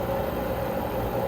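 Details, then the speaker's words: Old above-ground pool pump converted to pond transfer pump, garden hose adapter fitted, reprimed: steady even motor hum with mid-pitched drone, no knocks or surging, bubbling visible at pond; running properly. "it's working. Yeah, and you can hear the pump. It sounds like it's working. There we go. Finally."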